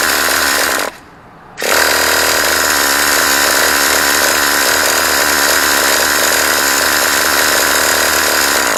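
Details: Used Traxxas T-Maxx 2.5 classic nitro RC, fifth failed start attempt after adjusting the high-speed needle: harsh steady buzzing crank with one short pause, engine never catches; cranks but won't start.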